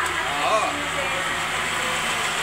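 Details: Mitsubishi Space Wagon that would not start, with no spark from the distributor, now running after the distributor was fixed: steady, even idle with a smooth low hum and no misses or knocks.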